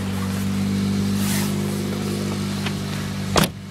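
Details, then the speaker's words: Cold start of a 2004 Pontiac Vibe, four-cylinder, four-speed automatic, in January: steady idle with a slightly loud, raspy exhaust note and even low hum from a known exhaust leak. "Now, just like I said, it has an exhaust leak and it doesn't have any fuel."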